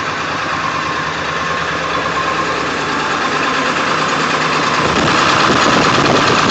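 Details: 1999 Ford F-350 7.3L diesel cold start after days unused, plugged in overnight, no check light; shakes badly with uneven lumpy beat about three pulses a second, restart runs without shaking: rough idle, cause unknown.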